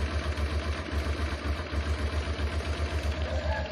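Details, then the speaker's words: Honda Transalp, carbureted, before adjustment: low idle thump swelling and sagging unevenly about four times a second, very unstable and labouring; rough idle blamed on idle air-fuel mixture screw setting. "the working idle is very unstable. By it working very hard."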